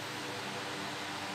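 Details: Ceiling orbit fan after replacement of its missing blade; steady, even rush of air with no ticking, scraping or wobble, running smoothly and strongly.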